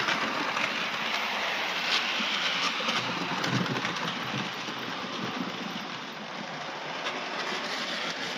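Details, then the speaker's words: OO gauge class 9F model locomotive (R2880) on test after its mazak-damaged tender chassis was fixed with a 3D-printed part; rough, rattly rumble with quick irregular patter, and the owner thinks the noise comes from the front. "There's a bit of noise. Bit noise somewhere along the line. Uh I think that's the front."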